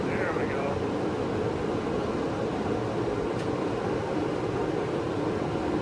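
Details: New heater, run on an extension cord in a cold barn: a constant low roar with no surging, ticking or sputter. Burner and fan running smoothly, normal operation.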